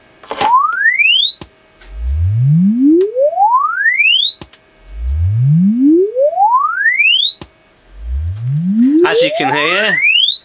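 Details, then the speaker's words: ALTO TS310 2000W active speaker after repair of lost bass, where the fault was the amp and not the driver: a sweeping test tone climbs cleanly from deep bass to treble with no rattle or dropout, so bass and treble output are normal. "is working fine now. We got bass and tops working. Brilliant."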